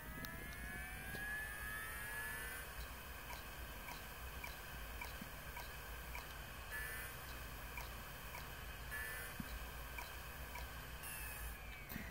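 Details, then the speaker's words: Dying hard drive from a roughly 5-year-old iMac (dated December 2007), powered on a test reader: spin-up with faint, perfectly rhythmic clicking before spinning down, the heads failing, classic click of death. "since the click was perfectly rhythmic it went click click click click click click click click and it spun down from there"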